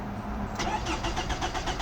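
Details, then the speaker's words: 2006 Toyota RAV4 4-cylinder that cranks but won't start: an even, brisk starter rhythm with no catch, and no fuel collected during the crank test. Empty tank, failed fuel pump or inactive fuel relay suspected. Crank no start from no fuel delivery. "There is no single fuel. So most likely there could be no fuel inside the tank, or maybe the fuel pump has failed, or maybe the fuel relay is not active."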